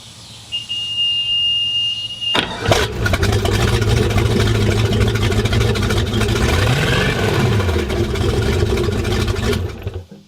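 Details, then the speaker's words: Bayliner 2855 Ciera big-block, first start since purchase, rebuilt outdrive, no cooling water connected: brief cranking, fires right up, strong even idle with quick rev; normal start and idle. "wait for word it works yeah what's wrong now breaks up pretty easy too it did it sounds good yeah big black baby"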